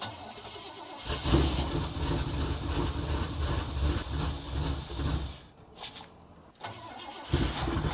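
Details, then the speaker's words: 1974 Chevrolet C10 carbureted engine, manually choked with no choke cable hooked up, brown gas in the chrome fuel filter: cranks, catches and runs rough and lumpy, sagging between blips. Owner recalls it always needing revving; suspected bad vacuum leak. "so that's what I seem to remember about this thing having to rev it to the moon and play with the foot feed all the time because I think there's a vacuum leak a real bad one"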